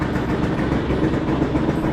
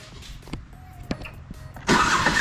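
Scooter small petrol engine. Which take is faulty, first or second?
second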